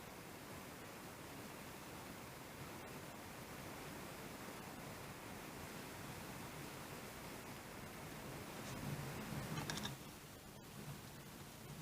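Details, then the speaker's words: Laptop after the noisy fan was repaired rather than replaced: the fan runs with only a soft, steady airflow hiss, with no rattle, grind or whine, now quiet and normal. "the fan is not making any noise"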